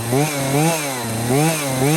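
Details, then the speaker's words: Husqvarna 240 chainsaw with new Hipa carburetor, after correcting high/low and throttle adjustments that caused bogging, restarted after sitting 15–20 minutes: crisp revving rising and falling cleanly with throttle, no bogging or hesitation; running its best. "Okay, there you have it. Basically running good."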